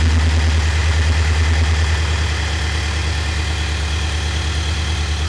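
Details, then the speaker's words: 2018 Nissan Titan XD, about 4 years and 40k miles, with a new, fully charged Optima Yellow Top D27F replacing the weakening battery that caused slow starts and transmission fluttering: engine spins over briskly and settles into a steady, even low rumble with no dragging. Healthy starting. "so that's the starting speed that evidently these should have this is a fully charged battery this is a new battery"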